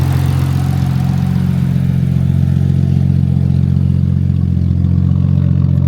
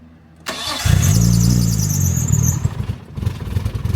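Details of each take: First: Nissan R34 Skyline, freshly rebuilt RB25DET, on the tuner's base map for the 500-mile break-in, after earlier failed starts: steady, even idle with a smooth deep exhaust note and no misses, knocks or ticks; running clean. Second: Nissan R34 Skyline, freshly rebuilt RB25DET, first start on the tuner's remote base map after a fix: starter cranks, engine catches briefly with an uneven lumpy burble, then dies; hard start, cause unclear; runs clean on a later try.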